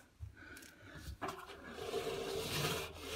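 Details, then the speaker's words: Indesit Innex XWA71451W washing machine, 7 kg, 1400 spin, maybe 10 years old, belt on: a dry rasping grind with the drum rocking about 10 mm, from a collapsed drum bearing inner race; belt tracking off. "i thought i'd put the belt back on before i start tinkering with the motor have a look at this right so it sounds awful watch the tracking of the belt it's on the out"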